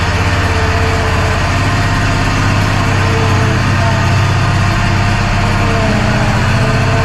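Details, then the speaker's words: Walker SuperBee 52 in rear-discharge mower after fuel and ignition fix, spark plug wire seated properly: steady, even engine beat with no misses or knocks; running normally. "She's running now. I can't wait to use it."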